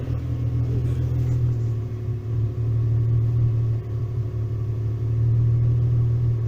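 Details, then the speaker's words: VW T3/T25 Vanagon with Subaru H6 3.0 swap, hot restart: engine catches and goes straight back to a smooth, even idle, which it would not do before; normal hot idle. "Look at that, straight back to an idle. So that is much better. That it was not doing that the other day. So we're back to an idle."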